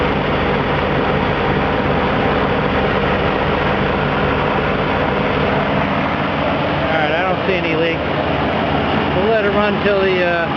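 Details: 1983 Ford E-150 van 5.8L V8, cold start after a water pump and timing chain job, checking for leaks: even, steady idle with a low rumble and no knocks, ticks or squeals; running normally while warming up.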